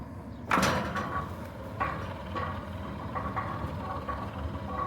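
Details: Centurion D5 Evo Smart sliding gate motor after a fresh installation, with the gate travelling. A quiet, steady motor hum with a faint even whine and no rattle, knock, grinding or vibration. Normal operation.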